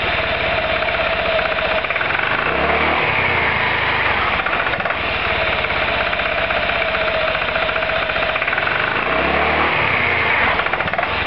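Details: Roketa MC-54-250B single-cylinder scooter, 1730 miles since July 2008, stalls at every stop. Buzzy engine revving up and down with a ragged, uneven idle beat and stumbles. Cause: intake and exhaust valves had zero gap at TDC; fixed by valve adjustment.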